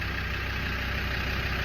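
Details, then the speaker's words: Land Rover Defender TD5 diesel started on a jumper pack for a low battery after priming the fuel pump, during a restoration: steady, even idle clatter with a deep regular beat and no blowing anywhere; normal healthy idle. "I primed the fuel pump a few times, press the accelerator pedal, and uh, she's running."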